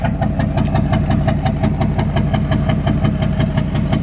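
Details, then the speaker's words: Duramax diesel whose owner suspects bad injectors because of smoke at idle. Steady, even idle with regular clatter just under two beats per second, no misses and no smoke at this point: normal diesel idle. "don't know, it just how idle and sound good as fuck right now."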